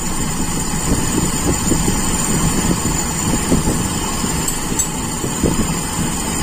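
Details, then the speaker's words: Toyota Kijang Super carbureted engine at idle: beat wanders and stumbles instead of holding steady; primary and idle jet ratio judged normal, but the idle mixture is too lean, screw nearly fully closed. "Artinya menurut saya ini ya sekali lagi menurut saya perbandingan antara spier primer dan stasioner itu tidak ada masalah itu masih normal hanya campurannya di stasioner itu terlalu miskin hampir kita tutup penuh ya"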